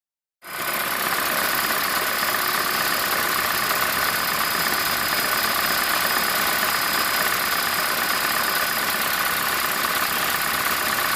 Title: 2010 Prius - Engine Knocking (Raptor Sound)